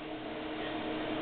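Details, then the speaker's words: IBM PowerServer 230 (RS/6000) external SCSI tape drive enclosure holding an 8mm tape drive; steady loud whooshing fan roar with faint hum, no rise or fall: enclosure cooling fan simply very loud. "also this enclosure makes a hell of a racket you can hear just how loud that fan is"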